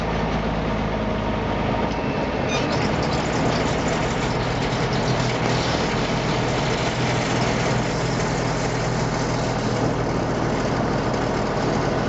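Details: M35A2 deuce and a half diesel after fitting an AeroTurbine 3535XL muffler: steady even idle with a deep low rumble, no misses, knocks or exhaust rasp; running healthy.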